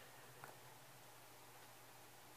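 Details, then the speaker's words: Brand new, never-used Shure SM57 microphone shaken by hand: only a couple of soft cable taps, otherwise near silence, no grille cap rattle; sound and healthy. "right so no noise at all"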